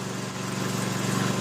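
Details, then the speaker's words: Toro SW 2400 lawn tractor with rpm raised after warming up, battery tester needle on the edge of good charging: a steady, even drone with no misses, knocks or surging; engine healthy. "It takes a little while for it to get warmed up and settle. I'm going to increase the RPM."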